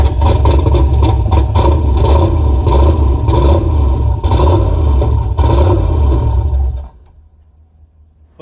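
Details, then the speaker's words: SN95 Mustang with Gen 3/4 6.0 LS, stage 2 cam, 243 heads, turbo setup, first start after swap: deep, loud, lumpy idle with uneven throb for about seven seconds, then shut off; sounded like it was missing one or more cylinders. "and it almost sounded it actually idled I didn't get that on camera but it almost sounded like it was missing a cylinder or two or five or whatever it was"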